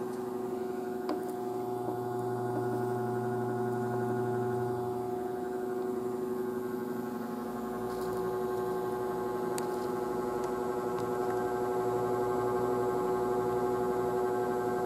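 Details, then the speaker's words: Electric fan motor powered by a modified (pseudo) sine wave portable power station, compared against a BigBlue Cellpowa500 pure sine output: coarse, gritty electrical buzz and growl over the fan; stepped waveform causes abnormal noise and can damage motors and microcontroller appliances. "だからあの正しく同社しないでをモーターとかマイコンとかなので変な音がするでしょ異音がするでしょなのでこれでねあの機械が音壊れちゃうんだよね"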